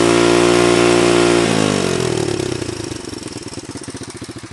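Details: Honda 125 XLS engine noise: steady high rev dropping away into a slowing, distinct chuffing beat as the engine winds down; some unexplained abnormal noise, cause unclear.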